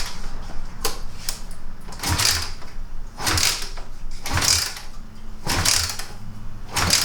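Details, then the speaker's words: Kawasaki KLR250 that rarely starts, kicked cold with gas on and choke on; dull thump and clatter about once a second, never fires — cold-start no-start, no spark or no fuel suspected. "All right. Yep. Whole lot of nothing. >> So, either it's not getting spark or it's not getting fuel."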